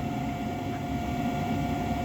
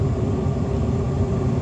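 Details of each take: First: Trane 90% single-stage upflow propane furnace, unmaintained, no heat: igniter glowing, pressure switch closed, steady inducer hum near 700 Hz with no burner roar; inducer motor running but burners fail to light. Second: Trane propane furnace, five burners, after the flame sensor was cleaned and the burner fronts sanded: steady low roar with a constant hum, no popping; lit and firing normally, though burner assembly replacement recommended.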